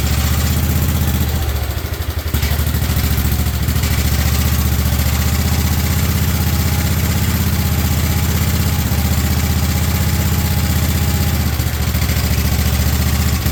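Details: 1958 Wisconsin AENLD engine, revived, muffler fitted, fed from a fuel bottle, choke off: steady even low beat at constant speed, no misses or clatter; normal running.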